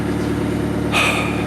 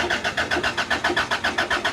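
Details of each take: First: Engine running after a missing ignition coil fuse under the dash was replaced, temperature good: steady, even idle with a low, regular beat, a short hiss midway, and an apparent misfire sound only because the exhaust is disconnected. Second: Car that earlier failed to start during two weeks of troubleshooting, with rigged wiring. The starter cranks steadily at roughly four beats per second for two seconds, then stops; the engine never catches. No spark found.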